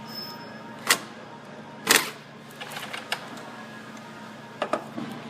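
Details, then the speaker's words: 2010 Ford Focus, no crank no start with theft light blinking, not battery related: loosening 8 mm engine ground with key on gives sharp uneven relay clicks about once a second as modules cycle; fix is sanding paint for clean ground. "And we're going to loosen this with a key on still and this connector fully connected. And we're going to see if all of a sudden that it starts cycling."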